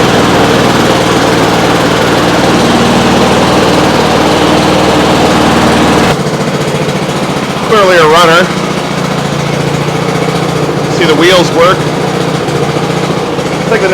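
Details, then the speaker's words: Trash-picked Honda HRX217 (HRX217TDA) self-propelled 21-inch mower, possibly GCV160/GCV190 engine, after a hard start (owner suspects carb): steady, even rapid single-cylinder beat with no misses or surging; runs pretty well. "okay runs pretty well"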